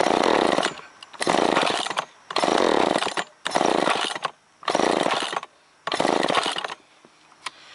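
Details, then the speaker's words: Chainsaw that fouls and wets its plugs quickly (ran Sunday, then died), started on choke with trigger in: about six short rev bursts that drop out and won't hold speed; rough and lacking power. Spark and fuel to be checked; cause unconfirmed. "It kicked. Yeah, it just needs a little more punch, I think."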